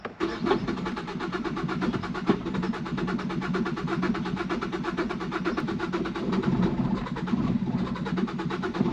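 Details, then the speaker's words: 2012 Ford Focus flooded to the roof in Hurricane Helene, engine still water-flooded, ignition on, throttle body heard moving, clutch in, in neutral: long even starter churn with compression pulses, then uneven firing before it finally catches and runs. "it's going to run it's trying to fire [Laughter] there it goes oh"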